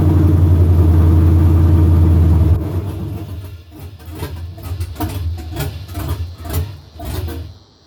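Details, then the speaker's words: OBS truck with a stock 5.3 LS swap and TSP Stage 2 cam, warming up on first start: a loud, lumpy, open-header V8 surging and sagging into ragged pulses; intake air gaps let it suck air, and the rear O2 sensors are not yet deleted. "there's air gaps all through here so i do need to do something with this intake setup i do have i can just hear it trying to suck for air and it's just not going"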